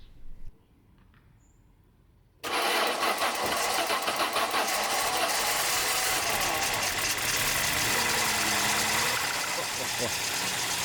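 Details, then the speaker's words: Peugeot 605 3.0L SV with PRV V6 (petrol), heavy fuel consumption and poor running: engine catches and settles into an uneven, lumpy idle that never smooths; fuel pressure regulator diaphragm leaks petrol into the vacuum side, flooding it with far too much fuel. "Le régulateur fuit par la membrane ici pour la dépression il y a de l'essence qui a coulé. Donc forcément comme ça il y a à beaucoup beaucoup trop de carburant"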